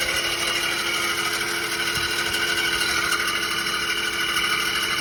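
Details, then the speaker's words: 2006 Audi A6 4.2 at idle after morning start: constant loud high-pitched screech, seeming to come from bell housing near the starter; owner doubts timing tensioner, suspects water pump; cause unknown. "started it this morning, and it's a pretty loud noise. I don't think it's timing tensioner noise because it's not quite the same, but I don't know what it is. I'm thinking maybe it might be a water pump"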